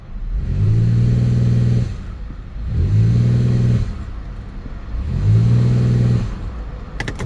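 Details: Buick LaCrosse V6 with a previous misfire, mainly on cylinder 4, giving three clean brake-torque rev-ups that rise and fall evenly with no stumble; the misfire is gone.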